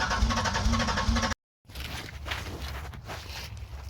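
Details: Buick Park Avenue, attempting its first start in over 8 years after new fuel lines were spliced in; the fuel pump is audible. The starter spins the engine in a steady churning rhythm, roughly two turns a second, but it never catches and fires.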